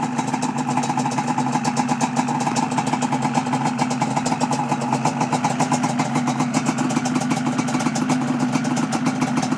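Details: 1988 Yamaha Banshee two-stroke, Toomey pipes, Answer silencers, upgraded Mikuni carbs and reeds, after sealing exhaust leaks at silencer-to-pipe joints with high-temp silicone: crisp, even steady idle, no puffing or ticking at joints.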